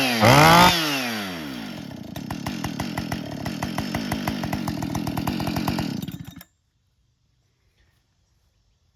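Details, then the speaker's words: Husqvarna 572 XP chainsaw (complaint: wouldn't rev out hot, only popped) after replacing the ignition coil: crisp, even two-stroke buzz at steady high speed for several seconds, then cuts off cleanly; runs smoothly, fixed. "well coils installed fired right up like a jam"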